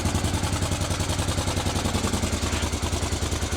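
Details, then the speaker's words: Honda Africa Twin after restoration rebuild, first start; idle corrected by removing a spring on the top screw that restricted movement. Starts easily, tick over about right, steady even low thump with exhaust purring, no knocks. "So she starts beautifully. Tick over is just about bang on, I would say. And listen to that exhaust purring."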